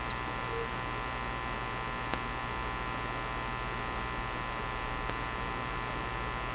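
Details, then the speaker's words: National HRO Sixty communications receiver: a steady low mains hum drones through the speaker and no stations come through, even with the antenna on. The internal audio system is faulty and the cause is not yet determined. Mains hum in audio output. "That sound. Still very hummy. We're not going to hear any stations here."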